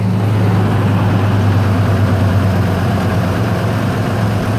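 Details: 1993 Ford F-150 farm truck on its first start after sitting 18 years: deep, steady low rumble held at a raised, even speed that never settles; idling too high.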